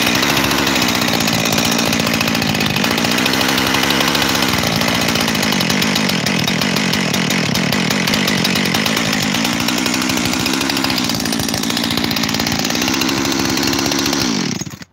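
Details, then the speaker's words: Freshly rebuilt 372 XTorq chainsaw: idle uneven, revs surging up and down every few seconds instead of settling, then shuts off; hunting idle, owner suspects an air leak at the transfer cover or its gasket. "I think that transfer cover is leaking, and that's what's causing me a double idle."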